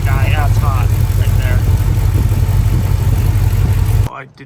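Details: 1983 Capri on factory cast exhaust manifolds with apparently no gasket; soapy water showed a leak at the manifold joint. Loud V8 idle with a sharp puffing tick over the rumble: exhaust manifold leak.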